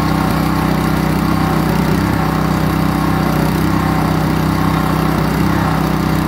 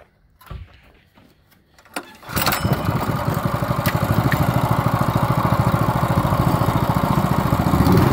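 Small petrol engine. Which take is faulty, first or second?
first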